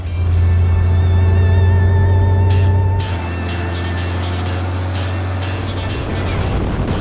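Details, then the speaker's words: Piper Cherokee Six 300 aircraft engine warming up after several years sitting, temperatures coming up; steady deep even drone, constant beat, no misses or knocks; running perfectly smooth. "It's running perfectly smooth. Everything's good. All the temperatures look good."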